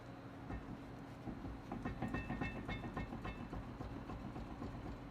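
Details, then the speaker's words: 2004 Honda S2000, rear left wheel squeaking each rotation, mainly on deceleration; car jacked up in neutral, brake off: dull metallic clunks as wheel is rocked top-bottom, a couple millimetres of play meaning a worn wheel bearing. "hear a clunking and if you actually grab the top and bottom spokes and pulling the kind of push-pull I can feel probably a couple millimeters of forward-backward play between the top and the bottom of the wheel here which means the bearings have slop in them which means they're screwed up"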